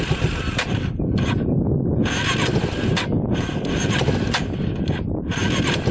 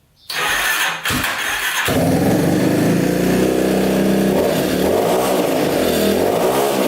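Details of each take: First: Yamaha Warrior 350 quad after several fixes, on test ride; revs up and drops cleanly with no popping or backfiring, smooth with good power, hardly smoking. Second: Yamaha Warrior 350 quad, single cylinder, after carb cleaning, fresh fuel, float lowered: cranks, catches, revs in slow heavy burbling surges; still running rich, exhaust pipe suspected, unconfirmed.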